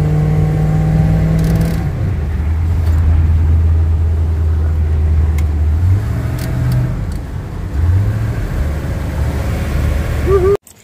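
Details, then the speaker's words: 1968 Slickcraft 195 SS boat on its maiden voyage on Puget Sound after sitting since 2007, following a failed distributor, water pump and fuel pump replacement and a sealed fuel tank; strong, even engine roar rising with throttle under load, no knocks or misses, healthy. "so that's a test run, maiden voyage, 1968 Slickcraft 195 SS, and it did scare the shit out of me. It thing's powerful, wicked."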